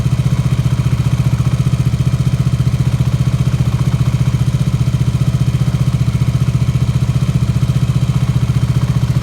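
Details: KTM Duke 125 at idle: a very even clatter about four times a second from the left side of the engine with the clutch engaged, which disappears when the clutch lever is pulled. Cause unknown.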